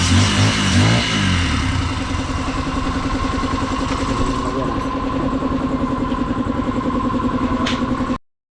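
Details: Honda XR150 single-cylinder motorcycle, noisy engine with no pull, still smoky from leftover residue in the exhaust: throttle blips then a steady, even idle; normal running and revving.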